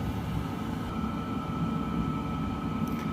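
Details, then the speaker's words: Diesel heater mounted in a hard case, set point turned down from 18 to 9 degrees at 10 degrees outside: fan slows into temperature-maintain mode, steady hum with thin whistle over soft rumble, fuel pump ticking; normal operation. "so it's slowing down now into let's maintain that temperature mode i'm gonna try and maintain nine degrees so now the fan has calmed down a little bit"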